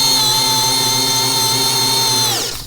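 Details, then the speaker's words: Parkside Performance PBSPA 12 C3 12V 35 Nm screwdriver with the 4Ah battery driving a screw: high, steady motor whine holding pitch under load without bogging, then winding down on trigger release. Works perfectly where the 2Ah battery failed. Normal. "Ok, con la batteria da 4A cambia musica, riesce a lavorare perfettamente, quindi le prestazioni dell'utensile ci sono, però ovviamente ha bisogno di essere equipaggiato con una batteria più potente."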